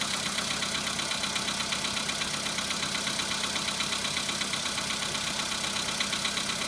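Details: VW Polo Sedan at 26,000, knock appeared at 15,000: steady idle with a sharp, even tick-knock about twice a second over the engine; cause unclear.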